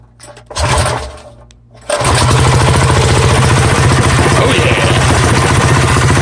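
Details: Predator 212 Hemi engine on Coleman CT100U minibike after fitting 18 lb valve springs and an oil change: catches after a couple of pulls, steady even putter with no knocks, ticks or misfires; normal idle.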